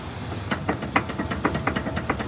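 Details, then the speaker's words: 2016 Ford Explorer front end: sharp metallic clunks about four a second from an inner tie rod detached from the steering gear, missed by another shop that replaced the right front lower control arm bushing. "can you guys hear that like how in the heck do you miss that like are you serious the inner tie rod is detached from the steering gear that is crazy"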